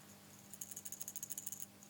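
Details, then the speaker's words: Check valve with 4mm ball in a paint gun converted to an oil gun for milling-machine lubrication, about a dozen crisp ticks at roughly ten a second as the ball rattles in its seat; passes fluid one way, blocks on return, working normally. "yes, you can hear there is, now we have a check valve. When we push it this way, the fluid goes freely through, but when we retract it, it blocks."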